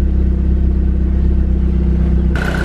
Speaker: Alright, the engine sounds good, but I'm going to just verify that the cams are timed correctly, just in case.